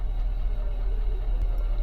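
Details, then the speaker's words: 2015 Infiniti QX80 after ECM swap with cloned EEPROM: deep, lumpy low idle with uneven beat; P0300 multiple misfires on several cylinders, low compression suspected, plugs not expected to fix it. "Cylinder number 3, number 5. It was 7, 8. 5. All of them above 4. 1, 2, and 4. Oh yeah. This has a compression issue."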